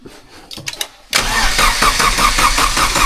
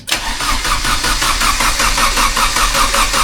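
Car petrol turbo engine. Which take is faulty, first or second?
second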